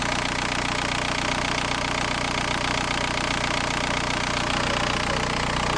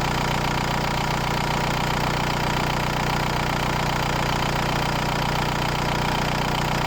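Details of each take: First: VW New Beetle TDI 90 ALH diesel, EGR deleted, NRJ Car add-on tuning box screwed fully in: loud idle with an uneven lumpy knock about 2.5 times a second, misfiring from over-fuelling; box is backed off until idle stabilises. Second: VW New Beetle TDI 90 ALH diesel with EGR delete and NRJ Car add-on tuning box being adjusted: even, steady diesel clatter at idle with no hunting or misfire, idle smooth and settled.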